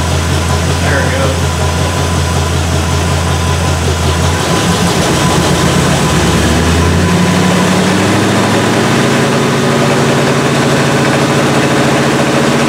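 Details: 1977 Malibu V8, cold start at about 57 °F with non-functional choke, then raised to high idle (about 2,200-2,500 rpm) for a 15-20 minute cam break-in: fast, even smooth drone with no knocks or ticks.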